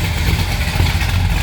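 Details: 1970 Pontiac GTO Judge tribute, V8 bored to 469 (about 500 hp), hydraulic Isky custom cam, Edelbrock heads, automatic, 65,000 miles shown, warmed up, heard from outside: deep throaty idle with slight cam lope, no knocks or ticks; healthy engine.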